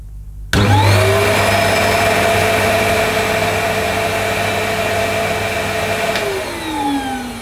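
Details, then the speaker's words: First switch-on of an early-1990s Hitachi CV-790 Powerhouse bagless vacuum bought second-hand: motor spins up quickly to a steady, even whine, holds smoothly, then winds down cleanly; sounds healthy. "Well, as far as I know, that sounds okay. I've never heard one of these before in person, so I'm not sure, but it sounded all right. It didn't sound like it was going to blow up or anything."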